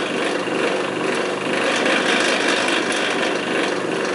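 Steady rough motor hum with a gritty, uneven rumble throughout and no clean running tone, typical of badly worn fan bearings.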